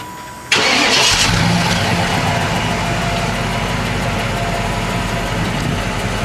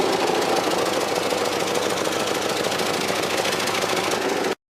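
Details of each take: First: 1995 Cadillac Fleetwood cold start after new mufflers fitted: catches at once, smooth steady quiet idle, slight lisp but no blowing or ticking; far quieter than old mufflers. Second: 1995 Cadillac Fleetwood recorded January 2014 with badly rotted mufflers, plus oil and coolant leaks, before muffler replacement: fast raspy puffing chuff over idle, about three beats a second, exhaust blowing out under the car; exhaust leak.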